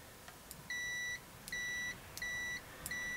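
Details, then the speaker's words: AstroAI low-cost TRMS multimeter (M2KOR 2000-count or M4KOR 4000-count) continuity test: four clean, moderately loud high beeps, each about half a second, sounding instantly as leads touch; continuity, circuit closed. "you hear that tone you know it's loud enough it's not real loud"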